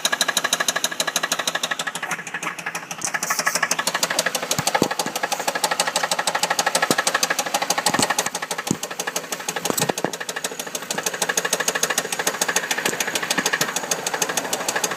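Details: 2004 Chevrolet Monte Carlo SS petrol V6, 100k miles, fresh oil and good oil pressure, idling with a rapid, steady knock over the engine; suspected rod knock, not confirmed.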